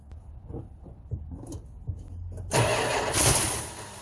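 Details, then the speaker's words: 1971 Chrysler 300 donor car, 440 V8, new plugs and wires, about six volts past a ballast resistor: uneven starter beats, then a brief rumbling catch that dies; fires but won't keep running, owner suspects fuel supply or hydrolock. "I think we're going to call this it started we heard it Rumble we heard it bark and fire up"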